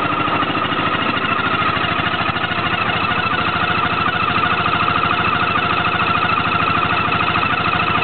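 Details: Peugeot Jetforce 125 scooter, engine noise. A busy, rapid clatter rides steadily over the idle at about two beats a second with no speed change; abnormal engine noise, source unclear.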